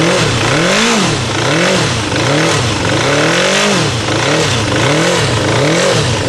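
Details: Kawasaki GPZ900R blipped about once a second, revs wavering and stumbling instead of climbing cleanly; stutters above 3000 rpm; rough hammering noise, cause unknown.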